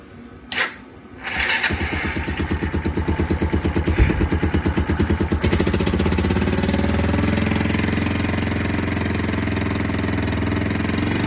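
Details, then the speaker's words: Kawasaki KLF300 Bayou 4x4 ATV, unused two months, started on choke then choke off: idles smoothly but breaks into uneven stumbling misfire when throttle opens off idle; owner suspects timing, earlier suspecting plug, coil or lead. "So we're back to this kind of, sounds like a horrendous misfire when what? When it comes off of idle. Seems like timing."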